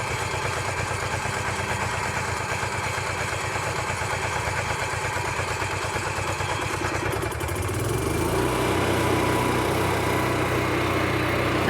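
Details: RV living-quarters generator at 5,000+ feet altitude, started after holding prime 45 seconds to a minute, fuel tanks low and generator mounted high; choppy cranking churn for about seven seconds, then catches and settles into a steady, even run. Normal start.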